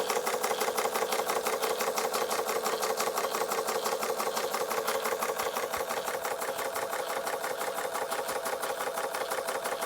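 Crisp, evenly spaced chuffs at about three per second with a light mechanical clatter; the little engine runs smoothly and steadily.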